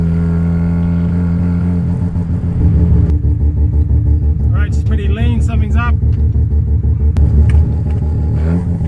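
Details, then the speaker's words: Budget home-built Mazda 13B rotary car on its first test drive: a coarse, uneven burble that won't build revs, stumbling under load and unable to pass about 4,000 rpm; the carburetor is starving for fuel, with the tank gauge on empty. "I can just feel um instantly that the um carburetor is fully starving for fuel um so it's possible that the tanks really really empty the needle was fully on E uh as soon as it started leaning out couldn't even get it above like 4 grand"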